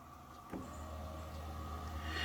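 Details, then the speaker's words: Electric fuel pump run with engine off via meter jumpering relay pins 30 and 87: faint steady low hum starting abruptly and running evenly; draws 5.99 amps, pump judged healthy. "fuel pump's running and i'm getting 5.99 amps which is good"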